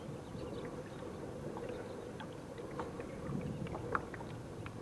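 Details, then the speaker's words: Hammerhead Kayaks Bull Shark pedal drive after the fix, a small bump sanded off and touched up with paint; only water swish and light prop churn under steady pedaling, and the earlier creak is gone. "the creek the noise in the drive totally gone now if you'll remember some of my earlier videos when it was making it noise and uh totally gone"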